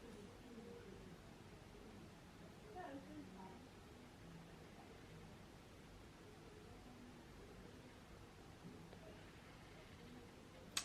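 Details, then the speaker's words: Canon G7X Mark II with autofocus lock mode on, tracking a moving subject: quiet room hiss and faint rustling with no autofocus clicking, unlike auto tracking mode. "i'm moving around and there's no sound the camera's focused on me because the autofocus lock is on and there's no sound"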